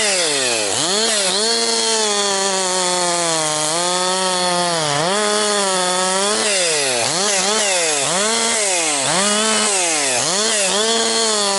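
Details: Husqvarna 262XP chainsaw after rebuild, breaking in bucking firewood from dry, dusty pine with rotten and hard spots; compression has come up. Crisp high scream dips under load in each cut and snaps straight back to full revs; healthy saw cutting cleanly.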